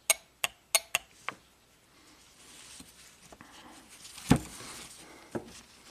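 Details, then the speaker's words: 2011 Toyota Camry 2.5, 180k miles, P0015/P0017: exhaust oil control solenoid bench-tested with power and ground gives five sharp, crisp clicks, same as the intake solenoid (1.3 A at 12.5 V); solenoid judged normal, not the problem. "it moves the same amount same type of click so I don't think the problem is going to be here"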